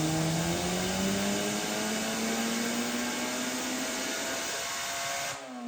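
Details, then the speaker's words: Miata engine with 2 degrees timing pulled howls under full load, pitch climbing, then cuts out abruptly near the top; a cylinder detonated and the engine let go, dipstick popped up. "Crankcase pressure? Yeah, we're gonna have to double check. No, that cylinder detonated."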